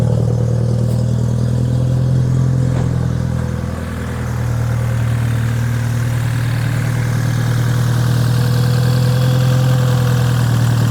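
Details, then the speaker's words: BMW F30 330i B48 after new NGK Laser Iridium spark plugs and Dinan ignition coils: steady low even hum, smooth unbroken idle, no stumble or miss; idling fine, repair successful. "all right you guys that is the spark plug and ignition coil installed done as you can hear the car is idling uh fine it's really bright so everything went according to plan"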